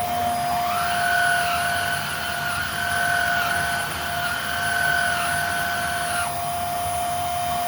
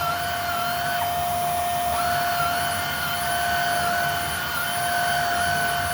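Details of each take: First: Older Hoover Air Steerable upright vacuum running: steady high motor whine with a rough edge from dry motor bearings, plus a gritty gravelly tone when the old brush roll engages, before belt and brush roll replacement. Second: Hoover Air Steerable upright vacuum after brushroll and belt replacement: a steady, even motor whine at constant pitch with no rattle; quieter than before at the same pitch, running normally.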